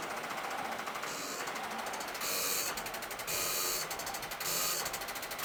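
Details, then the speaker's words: 1993 Ford F700 gas dump truck, long parked, engine just freed by turning with a ratcheting wrench, battery bump-cranking: starter chatters and drags the engine in slow labored surges; owner suspects a low battery. Slow cranking. "I think at this point we're to just a low battery I'm encouraged enough with the movement"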